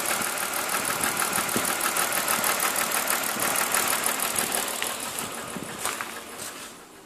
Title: M52TUB20 misfire cyl. 6